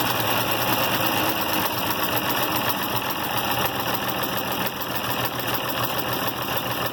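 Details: IH Farmall 706 after a new carburetor and mixture adjustment: steady, even idle of about 3.5 pulses a second with no misses; normal idle.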